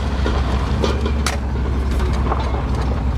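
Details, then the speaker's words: 1979 GMC Caballero driving with no windshield: irregular light clattering over heavy road rumble; owner first thought a lost hubcap or popped tire, but found no popped tire; source unclear. "What is that? Sound like I lost the hubcap."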